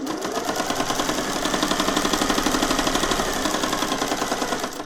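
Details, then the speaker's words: Singer 401A sewing machine from a thrift store, sewing with stitch length at 0: quick, even ticking about four per second with a hollow knock inside. Internal knocking; owner suspects it needs lubrication. "I can hear like a knocking inside. I think we might just need to be lubricated."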